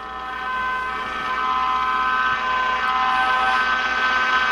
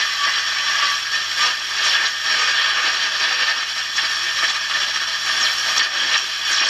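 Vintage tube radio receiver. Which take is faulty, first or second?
first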